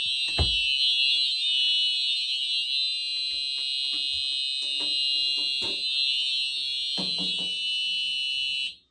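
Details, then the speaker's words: Simplex fire alarm system (4004 panel, 4903-9425 TrueAlert horn/strobes, 4099-9001/2099-9754 pull stations) tested on continuous, heard from outside the building: piercing steady high horn for about nine seconds, then cut off when silenced. "Wow, listen to that thing. Wow, that is one loud alarm. Let's go back inside and silence that."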